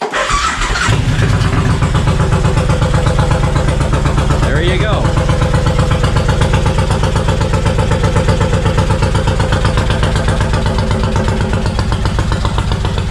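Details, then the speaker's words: 1999 Suzuki Intruder VL1500 V-twin bought non-running, first start after freeing a stuck part, fresh gas, choke out, carbs of unknown condition: brief cranking, then a steady, even thump about four beats a second; starts cleanly, though carbs leak fuel. "but there you go fired up"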